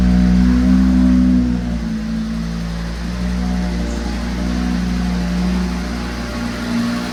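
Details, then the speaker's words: Fire-damaged Audi RS3 just started after sitting long and key reprogramming: fast cold idle with deep steady drone that drops and settles after seconds; slight cold-start roughness, owner thinks from not running a long time. "for a startup, but I think maybe it just hasn't been running for a long time. That sounds pretty good. Oh, she's quieting down."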